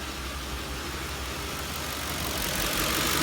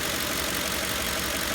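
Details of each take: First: 2004–2008 Ford F-150/Expedition/Navigator 5.4L 3-valve V8 at idle, check engine light with cylinder 7 misfire code: uneven low thump about four stumbles a second, rpm dipping to about 400; misfire persisted after coil pack change, spark plug suspected. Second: Ford 5.4L 3-valve V8 (2004-2008 F-150/Expedition/Navigator) idling smoothly and steadily after replacing cylinder 7 coil pack and spark plug, curing rough-idle misfire codes P0300/P0307.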